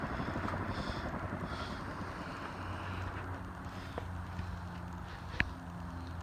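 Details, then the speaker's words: 60-inch cast-aluminium Dayton industrial fan, newly bought and lightly used, mounted on a down rod with unlocked lock rings: low hum and airy whoosh fading as the blades coast down, no rubbing or knocking; normal spin-down. "So the spin down isn't bad. That's just normal spin down for these things."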